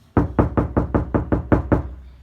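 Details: Knock test on uncovered driver's door, compared with KilMat-treated passenger door: eight quick knocks boom loud and hollow with a low drumming ring; bare panel with no sound deadening.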